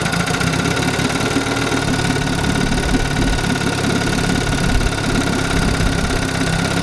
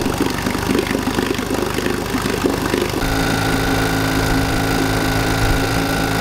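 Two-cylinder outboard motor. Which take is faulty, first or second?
second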